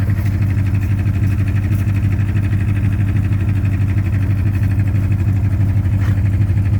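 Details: 2010 Ford Mustang GT V8 idling with a steady, regular knock about three beats a second over its rumble; owner told it may be rod knock or lifter tick, unconfirmed.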